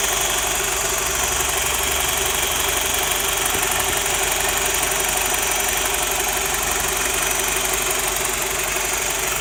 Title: E87 120i rattle sound like a diesel